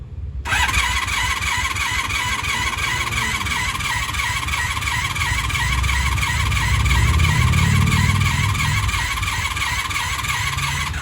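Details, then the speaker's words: 1996 Honda Magna 750 VF750CD after new spark plugs and coolant, choke on but not fully, possibly flooded earlier: the starter spins the engine with an uneven chug for ten seconds but it never catches, so it cranks without starting. "If fuel is flowing, we should have something happening. We should have something happening by now."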